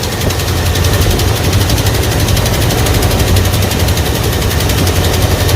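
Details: Early-1980s Ford F-150 V8 donor truck, vacuum gauge in normal range, carburetor air-fuel mixture screw turned all the way in: sharp rapid popping over an uneven idle, lean from the closed mixture screw, which is then backed out.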